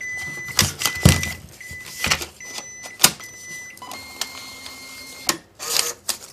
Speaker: loaded the paper will automatically feed and the paper will be cut off the beeping will stop and the red indicator light will go out